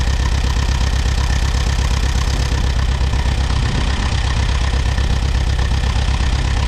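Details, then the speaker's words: Allis Chalmers WD tractor, sat about a year, first start: low, heavy idle pulsing near two beats per second, uneven; owner suspects a miss on one cylinder, possibly moisture on a plug, clearing once moved. "it sounds like it might be missing on one cylinder"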